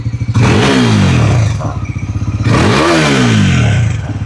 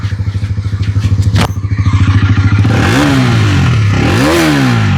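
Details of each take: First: Bajaj Pulsar NS400Z after one year, revved at standstill: two throttle blips with faint buzzy clatter; right-hand side body panel vibrating, stops when pressed by hand, fit-and-finish issue. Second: Honda NS400Z after one year, with head internals and meter replaced under warranty: even idle pulses, then three sharp revs that climb and fall cleanly with a raw exhaust sound and no rattle; normal engine revving.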